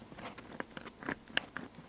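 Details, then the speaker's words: 1964 Leslie speaker from a Conn organ, squirrel cage removed, cone pushed by hand after rattle near 125 Hz: scattered faint pops and snaps from the voice coil area. Suspected voice coil rubbing or debris from a deteriorated dust cover or mice. "some popping and snapping from down the voice coil area so I don't let the voice coil is rubbing"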